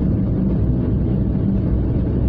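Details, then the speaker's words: 1998 Toyota Starlet driving on the road after both noisy rear wheel bearings were replaced during a service. A steady low road rumble with no hum or growl; much quieter than before. Rear bearings are healthy. "after we said it's now much much quieter noise is considerably dulled down maybe there is life in the old Starla yet"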